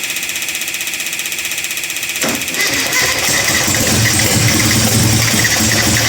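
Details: Classic Mini under restoration, cranked after radiator refit with a lead possibly needing replacement: starter churning, then engine catches and settles into a busy, fairly steady run; first successful start after the rebuild, normal running.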